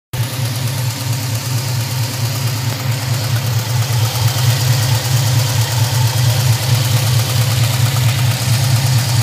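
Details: LT1 V8 at idle: deep steady hum with a light, fast lifter tick riding on top while running 5W-30 oil; tick went away after switching to 10W-30 plus Lucas additive.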